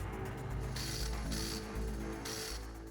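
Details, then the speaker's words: Manual gearbox being converted to dog box: harsh raspy grinding bursts over low drivetrain hum as gear is forced in; worn synchronizer can't match gear speed to hub sleeve. "the synchronizer is worn out and it's not able to reach the hub sleeve."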